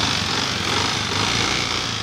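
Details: Honda TMX Alpha 125 small single revving with a busy metallic rattle over the engine note; a coin was found inside the engine, causing the internal engine rattle.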